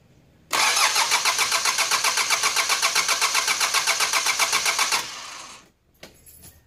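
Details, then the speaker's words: 4D56 diesel cranked with the injector fuel lines deliberately loosened to confirm the pump delivers diesel: steady starter churn at about four compressions a second, never catching; diesel squirts from the lines. "the engine is only going to crank and it's not going to start because we have loosened up this fuel"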